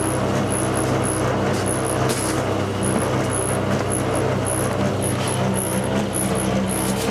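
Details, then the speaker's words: Tumble dryer bought August 2007, months old, engineer called out: loud continuous deep rumble with irregular high squeak about once a second, noise dreadful, cause unknown; rumbling noise. "You can hear the noise is dreadful."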